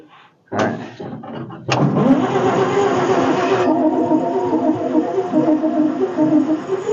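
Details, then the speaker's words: 1946 International truck abandoned 50 years, first start after carburetor rebuild kit: cranks, catches with sudden roar, runs ragged and uneven with popping and lots of fire out the exhaust, then runs well without clatters. "hold on hold on hold on we're getting a lot of fire out of the exhaust"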